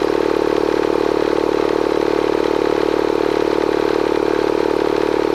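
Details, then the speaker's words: Bostitch/Stanley air compressor running after a leak near the regulator was fixed with pipe tape, pipe dope and a tightened regulator top. An even, steady pumping chug of about four beats a second with no hiss or knock; it runs normally. "okay so we got it off let's plug it back in and fire it up thing runs great"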